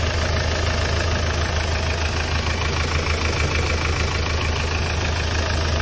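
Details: Hyundai Starex D4CB diesel idling during a check for suspected blow-by: steady, even, smooth low rumble with no knocks or misses; no smoke from the dipstick tube or breather, so the engine sounds healthy.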